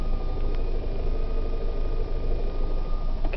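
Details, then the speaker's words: Car audio with JBL P660C components and a sealed 12-inch sub: a thin steady electrical whine through the speakers over the idling engine that doesn't follow revs. It appeared after the sub was installed; the owner suspects amp channels 3/4 or the head unit. "figure out if that's coming from my amp or my head unit. It's really annoying though. It just happened once I put the sub in."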